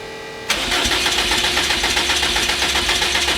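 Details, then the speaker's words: 800HP Subaru STI boxer engine that failed, being cranked with a trickle charger in startup mode: fast, steady cranking that comes closest yet but never runs. Believed flooded with fuel. "oh that's the closest it's gotten yet that means it's full of fuel yeah do it again just keep it"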